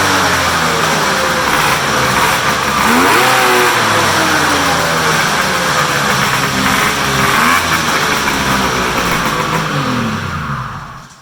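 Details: Polaris big triple two-stroke muscle snowmobile, cold start after sitting in the shop, run on a stand with hood closed; crisp revs rising and falling cleanly over a steady idle, no misfire or rattle. Healthy from cold.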